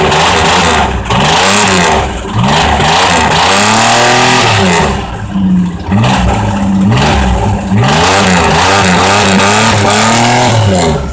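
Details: 1982 Camaro with the GM 2.8 V6 revved hard and repeatedly, well past redline, with a rough knocking edge at high revs from rod knock.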